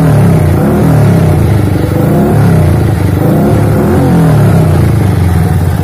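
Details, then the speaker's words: Yamaha Vixion single-cylinder with modified carburetor and Shogun-style ignition, stock plug wire, no tank fitted: loud, steady thump with regular rev swells, no misses or knocks, though described as sounding rough; judged normal. "Pasang normal ya, nggak ada kendala, normal aja Kang Bro, nggak ada masalah."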